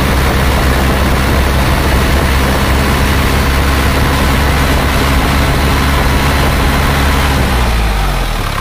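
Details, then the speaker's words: Isuzu Panther diesel after blow-by repair with new liners, sleeves and rings, warm at 80–81°C: deep, even diesel clatter at idle with a steady low rumble, no knocks or misses; engine sounds healthy. "Bisa terkejar dan diukur dengan termometer itu sudah 80 81 dari sudah temperatur kerja Nah suaranya seperti ini Jadi ini sudah siap"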